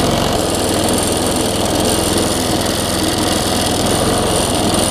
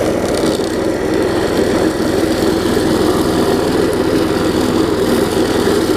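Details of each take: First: Quantum-powered 3.5 hp weed trimmer running on a newly fitted replacement carburetor that owner says is not perfect; steady small single-cylinder clatter, slightly uneven and lumpy rather than crisp. Rough running from poorly matched carburetor. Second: Quantum-powered 3.5 hp weed trimmer with new carburetor, test run after tightening the loose belt; loud, even drone at steady speed with no knocks, belt squeal or misses. Normal running.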